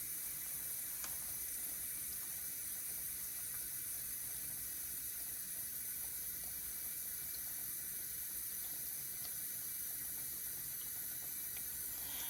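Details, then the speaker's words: Dishwasher that shut off after 2 minutes due to a dirt-clogged pressure sensor, after cleaning the sensor: pump runs briefly, then soft continuous hiss of water filling the tub with no cutouts; normal fill. "now the water is running because the sensor is telling the dishwasher that everything is okay that there's no water"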